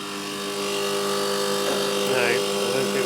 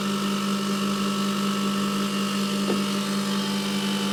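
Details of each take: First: Condenser fan motor on a milk cooling unit humming steadily but not turning, drawing 3 A against a rated 1.2 A. The front bearing in the motor had failed, and the unit was cooling poorly. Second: Milk-cooling condensing unit running after a new condenser fan motor and correctly sized secondhand blade were fitted, with the tanks empty while head pressure builds: a steady, even hum with a firm low drone and constant fan rush, no knocks or rattles. Running normally.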